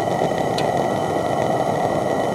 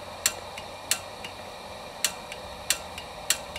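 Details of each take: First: Coleman propane lantern burner: loud, steady, even hiss with no sputter or flutter, running normally and louder than the gas lantern. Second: Coleman propane lantern with gas hissing: sharp dry igniter snaps about every half second to second that never light it; the igniter's spark tab had been bent down, so it fails to throw a spark.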